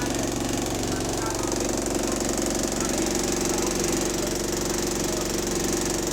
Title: Engine Rod Knock, Lost Door Buzzer | GAL SE101 On Bus Route 469 (3)